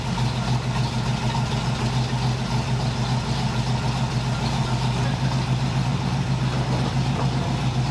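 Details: 1981 Cutlass Supreme home-built small-block Chevy V8, outdoors after hot-lashing the valves, replacing the wrong spark plugs and correcting the timing/HEI distributor: a steady low rumble with an even beat and no knocks or ticks. Normal running.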